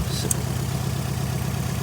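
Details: 2008 Nissan Altima 2.5 idling: a low, uneven idle with a faint stumble from a cylinder 2 misfire code; unplugging cylinder 1 coil makes it worse, so the cylinder 2 ignition coil is diagnosed as dead and to be replaced.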